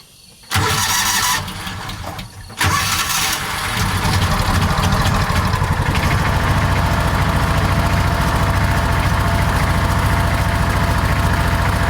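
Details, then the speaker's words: John Deere Gator 4x2 at low cold idle: engine catches then a fast, uneven slapping rattle from the rear belt/clutch area; CVT primary clutch grabbing the belt at idle, awful racket needing inspection. "There you can there you can probably start to hear some of that belt noise or that clutch noise I was talking about. Makes an awful racket back there."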